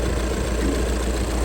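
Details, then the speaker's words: Budget overlander project vehicle, diesel idling just after first start; even, steady clatter with no dual mass flywheel rattle or uneven beats, sounds exactly as it should. Normal diesel idle. "Oh, first turn of the key, and listen to it. It just sounds like exactly how it should. Normally you get dual mass flywheel rattle or whatever it might be."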